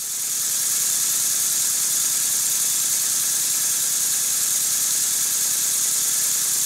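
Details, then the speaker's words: Stuart Double 10V model steam engine run on compressed air at very high speed on the bench, timing not yet adjusted: fast, even chuffing under a constant hiss. Air still blowing past, though improved. "as you can clearly see in here there is a definite improvement it's not blowing quite so badly and i haven't adjusted the valve timing yet either"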